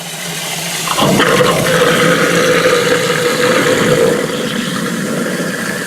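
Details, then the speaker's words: Double-sink drain with garbage disposal, rehooked to stop water backing up into the other sink, switched on: motor kicks in abruptly and settles into an even whirring hum with water rushing through, no grinding or rattle; normal disposal operation. "So if I turn it on, we should hear some noise and hopefully no leaks, and we shouldn't get wet."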